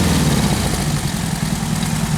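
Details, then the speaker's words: Rebuilt 1776cc single-port air-cooled flat-four during camshaft break-in, just after faulty spark plug wires were fixed. It holds a steady, even low burble at idle with no misses or knocks and sounds healthy. "thing was running horrible because of those spark plug wires it sounds pretty happy right"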